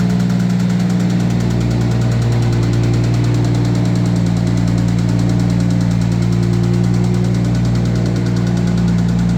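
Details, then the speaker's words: 1990 Toyota Supra turbo, manual, being parted out; idle with a dull, uneven knock about three a second under the engine note; owner pretty sure it's a rod knock, possibly valves. "the this car has a rod knock might be a valve something wrong with the valves or something like that but we're pretty sure it's a rod knock"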